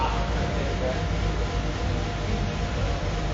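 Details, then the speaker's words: Shop waste oil furnace being refired after dripping oil burned overnight: steady heavy low howling roar from the burner while black soot plugging the chimney flue blows out. "Yeah, a lot of soot there. And until it blows off, it's really howling in there."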